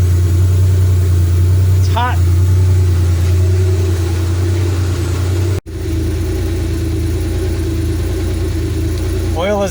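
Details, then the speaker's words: 1983 Porsche 911 SC, 3.0 L normally aspirated air-cooled flat six, oil at operating temperature before draining: even, deep drone at steady warm idle, no ticks, misses or knocks; normal warm idle. "at operating temp. Time to drain it now."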